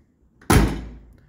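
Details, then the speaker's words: 1968 Ford Galaxie 500 XL convertible door closing; one deep clean thud dying away quickly with no rattle or tinny ring: solid, well-latched door shut. "you can always count on a solid door shut"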